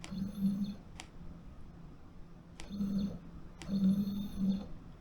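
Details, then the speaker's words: SainSmart Genmitsu 3018-PROVer V2 CNC router, axes jogging after power-on. Short bursts of buzzing tone with clicks between moves; X and Z sound strange, but this may be normal noise while driving. Stepper motor noise during axis motion, cause unconfirmed. "Oh , I can hear some strange noises from the X plus the Z , but"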